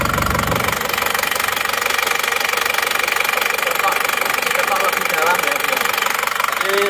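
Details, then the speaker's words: Isuzu Panther diesel, still cold, idling after repair: a sharp, regular ticking knock of about two per second that sounds like over-advanced timing. It was retarded slightly and sounds better; the regulating valve is suspected but unconfirmed. "Oke menurut saya suaranya agak terlalu madu ya ini sudah kita mundurkan sedikit suaranya sudah enak ini kelihatannya regulating valve"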